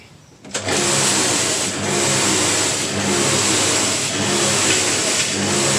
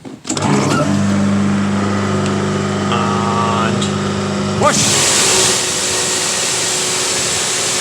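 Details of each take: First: Diesel-heated electric pressure washer, lance connected, pump running: loud steady drone dipping about once a second, uneven surging output from a pressure-side leak. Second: Diesel-heated electric pressure washer, pump working after a pressure leak was fixed and before the burner and ignition repair: the motor hums up to a steady, even pitch, then a smooth, steady spray hiss with no surging. Normal pump operation.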